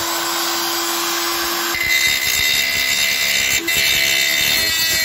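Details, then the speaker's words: Parkside PGS 500 A1 die grinder, 500 W, 220 V brushed motor: high-pitched steady motor whine with scratchy grinding once it bites into work, speed holding even. Normal running. "Voyons maintenant comment cet appareil fonctionne et broie."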